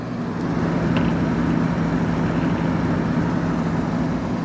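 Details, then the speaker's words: 1985 WCI 5K window air conditioner cycling on: thermostat click, then slight grumble of the compressor starting and a soft, steady low hum, followed by refrigerant noises; compressor running normally and almost inaudibly. "When this thing's been running and it cycles on and off, um the uh compressor is almost inaudible. You'll hear the click from the thermostat, a slight kind of grumble noise of the compressor turning on, and then you just start to hear the refrigerant noises after a little"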